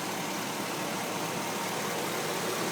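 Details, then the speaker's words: 2006 Chevrolet Silverado 4x4 idling, microphone put down close to the engine under the hood, hot Tucson day around 105°F, original battery: soft, even idle hiss, no knocks, ticks or misses, little low rumble; runs really quiet, healthy engine. "Put it right down here. You can listen to it. Runs really quiet."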